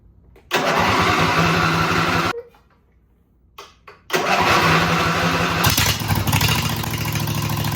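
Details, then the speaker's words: Cub Cadet lawn/garden tractor, 24 hp engine described as newer and rock solid; it catches right away, settles into a steady even idle, is shut off, then restarts cleanly and runs smoothly. Normal start and idle, healthy engine. "It's been rock solid ever since we've had this tractor."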